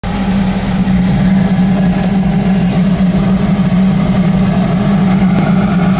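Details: Audi A4 B7 with BWT engine, swapped in a couple years ago, GIAC tune and K04 turbo: loud, steady cold-start idle with a droning hum and coarse rumble that goes away after about 60 seconds; old engine never did this.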